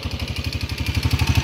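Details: Honda TMX155 motorcycle engine idling after the timing gear was replaced, still noisy: hard rhythmic gear-like clatter about ten knocks a second; engine later torn down, connecting rod and timing gear damage noted.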